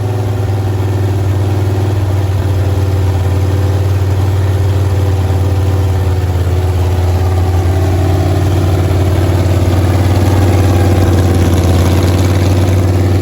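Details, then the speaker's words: Freshly built Chrysler 400 V8 for a 1972 Roadrunner, start on an engine run stand: deep, even burble at steady idle, no knocks or misses, 100% smooth; starter still not quite right, flywheel engagement issue earlier. "Uh starter sounds like it's still not quite 100% right, but uh it sounded great. There was zero kinks and dings and bangs. I mean, 100% smooth."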